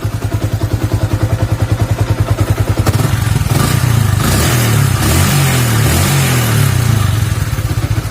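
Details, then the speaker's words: Yamaha Vixion (old model 2000-2011) motorcycle, hot engine above 100°C, after repair of whine/squeal that appeared when hot: steady, even idle with no whine or squeal. Normal warm idle. "ini kondisi masa ngapa mesin pun sudah juga udah udah panas ya tapi tetap nggak bunyi jadi artinya pekerjaan kita berhasil hari ini"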